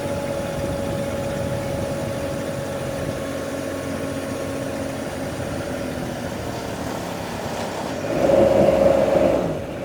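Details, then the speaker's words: SCAG Jackal lifting about 1,400 lb: the diesel drone sags and labors briefly while two hydraulic functions run at once during lowering and self-leveling, then recovers. A normal load bog. "you can hear the engine bogging down as I'm putting it back down because I'm trying to have it run two hydraulic functions at once so basically it's leveling itself so it's really opening up the valves making the engine really work for it but that's perfectly fine that's perfectly normal"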